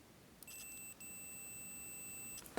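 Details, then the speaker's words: Multimeter continuity check with the probes touched together and the meter held up to the microphone: a steady high-pitched beep of about two seconds with one tiny break, showing the continuity alarm works before testing DCC locomotive motor isolation. "so you should be able to hear a high-pitched twine so that is a continuity check it's common on most volt meters today particularly digital ones"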